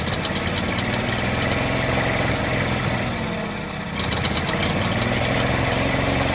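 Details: 1948 Ford F-5 ex-ice truck six, first run after about 45 years sitting: uneven idle with a sharp popping tick each cycle. Owner believes the number six lifter catches on its spring and pops back down, not a knock.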